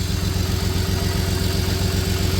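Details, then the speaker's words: 1993 Dodge Caravan, Chrysler 3.0 V6 with a blown head gasket, possibly low on coolant, and a bad motor mount: uneven, stumbling low idle beat; engine misfire at idle. "It's idling okay right now. Obviously missing, but it's idling."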